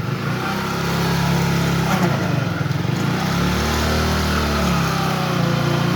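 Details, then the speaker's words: Hero HF Deluxe BS6 motorcycle, about 20,000 km, warmed up, in first gear with slight throttle against the brake: rough, uneven growl over the engine beat; 1st and 2nd gear noise from a worn small gearbox bearing letting the shaft wobble. "तो आपने देखा किस प्रकार से आवाज आ रही तो मैंने क्या किया थोड़ा सा एक्सलेट दे दिया और ब्रेक के ऊपर पह रखा तो इसके अंदर ऐसी अ अजीबो गरीब आवाज आती है"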